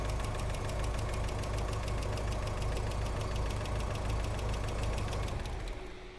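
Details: VW Corrado G60 engine, ignition timing now drifting and won't set: uneven lumpy idle with a fast steady light lifter-like tick on top; rough running, cause still being sought.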